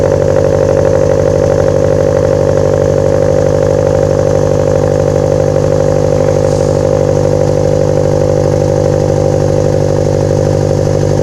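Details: Scion FR-S/Subaru BRZ boxer after installing CNT Racing unequal-length headers: deep, steady burble with an even beat and no ticks or knocks; healthy smooth idle.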